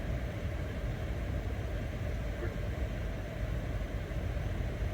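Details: Lincoln Aviator after IAC valve cleaning, idling in Drive under load for 10–15 seconds: quiet, even low rumble with no dips, stumbles or hunting; rpm needle holds steady. Normal idle.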